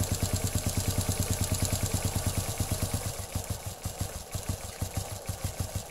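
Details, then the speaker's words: Honda Legenda/Grand/Supra-type motorcycle engine after replacing the worn timing chain and the large and small timing chain rollers: smooth, even idle ticking about three pulses a second, no rattle; the earlier rough, noisy sound is gone. "Nah ini motornya jadi halus kembali ya, tidak ada masalah."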